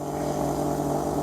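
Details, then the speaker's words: 2000 Chevrolet Silverado 1500 Z71, fuel pump running on test: steady low electric hum with faint whine, loud but barely moving fuel and well short of 55 psi; failing fuel pump, later replaced. "There's the fuel pump. You can really hear it now. It's loud, but it's just not putting out. That's not 55 psi."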